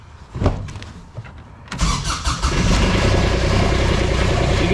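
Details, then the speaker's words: Kubota RTV900 diesel, sat long, new starter, around 40°F: cranks about a second and a half, catches, settles to steady idle; hard starting, owner suspects fuel bleeding off, starts with a little throttle. "The fuel's bleeding off or something's going on with this thing. It's I It's not that cold today. 40 something probably. This thing definitely got some weird issues."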